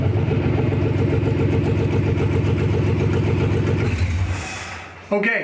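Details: Gen 3 Hemi V8 in a 1952 Dodge pickup after fuel pump priming, with newly hung exhaust and wired key switch: fires and settles into a steady, even rumbling idle with a regular beat, no knocks or skips; normal idle.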